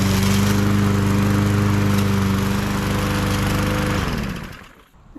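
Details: MTD 20-inch mower with Briggs and Stratton engine, previously hydrolocked with oil, test run after repair: steady, even drone at constant speed for about four seconds, then winds down smoothly at shutoff; running properly.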